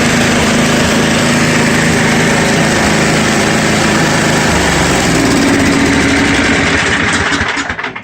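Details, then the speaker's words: Free roadside 10 hp snowblower with 32-inch cutter. Its single-cylinder engine runs at a steady, even buzz without smoking before shutoff and wind-down; normal running. "I love free stuff especially when the motor runs like that"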